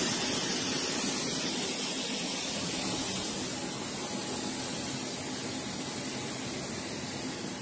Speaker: something is bleeding and it's audible you can hear the hissing don't know what it is but it's out of it